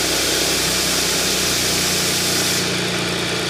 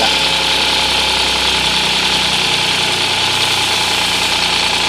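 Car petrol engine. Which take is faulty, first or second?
second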